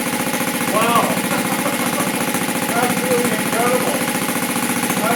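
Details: 1971 Honda CT70 single-cylinder with newly fitted clone carburetor, idle and mixture not yet adjusted, running on choke: steady fast running; normal running on choke.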